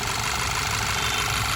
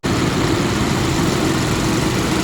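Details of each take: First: Skoda Superb petrol, which has a cylinder 3 misfire (P0303) from a burnt plug and damaged piston, idles smooth and even once the AC is switched off; the shaking is worse with AC on. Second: Skoda Superb petrol idling with an uneven, lumpy stumble from a misfire (codes P0303 cylinder 3, P0352/P0353 ignition coil circuits); worse with AC on.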